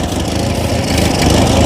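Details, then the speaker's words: Ford 8N 6V tractor abandoned eight years in storage, first start on ether: loud, uneven low chugging idle that stumbles and surges; owner thinks it is firing on only two or three cylinders. "it's running I only think it's running on like two or three cylinders"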